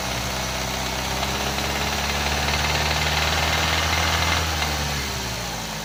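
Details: Under throttle: rhythmic metallic knocking, about four per second, rises as the throttle opens then eases back; metal was found in the oil filter, internal cause not pinned down.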